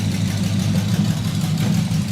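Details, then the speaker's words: Freshly built custom engine with exotic carburetors, exhaust not yet fully installed, on first start after slow cranking: deep, even burble that settles right down to a smooth purring idle with a steady beat, no misses or knocks; normal idle. "It lays right down to idle and just purr smooth."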